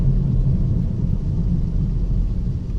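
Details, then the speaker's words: 2011-2018 Ford Focus driving on the road: a deep, steady rumble with a rough throbbing edge from a bad rear driver-side wheel hub bearing, which caused flat spots on the tire. "so yep I don't know if you can hear the rumbling the rumbling and the road noise is where it's coming from and it's that rear driver side"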